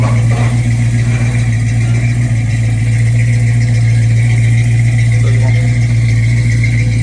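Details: Mustang after overheating fix, timing retarded about 3 degrees to 10 for hard starting, before test drive: smooth constant low idle hum holding one even pitch, no knocks, ticks or hunting; healthy idle.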